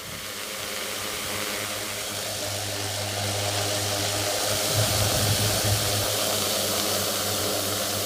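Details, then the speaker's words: Front left brushless motor of a 450 quadcopter with new carbon fiber propellers, camera held close, rough scratchy grinding whir rising as throttle comes up from very low over steady motor hum; other motors run silent. "Almost like a frictiony, grindy type sound. Try and bring throttle up a bit."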